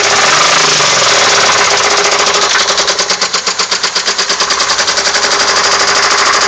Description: The engine knock noise on my 02 Grand Am. Lifters and rods have been replaced. Narrowed it down to cylinder 4 by disconnecting plugs.